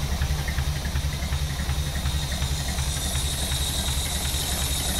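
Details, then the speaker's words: 1931 Horch 480 Sport Cabriolet, rebuilt 5 L straight-eight still being run in, warmed up; smooth, even low-pitched idle with a steady regular beat, no vibration: healthy warm idle. "things down it is idling absolutely beautiful maybe I should open them up let get is R can can see there's no vibrations in in the thing anywhere it is just beautiful"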